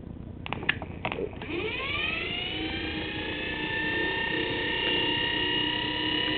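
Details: 24 V forklift DC motor, no permanent magnets, run off a battery: smooth whine climbs in pitch as it spins up, then holds steady with no crackle. Brushes no longer sparking after the burned brush and commutator issue; runs healthy.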